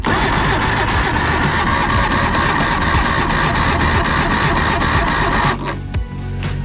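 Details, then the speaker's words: Late-1980s Evinrude 150 hp two-stroke outboard during compression testing: labored cranking at about four beats a second that never catches; engine turning over slowly and weakly, readings around 80–93; owner suspects poor cranking lowers the numbers. "probably maybe we get better numbers if we crank it better or higher"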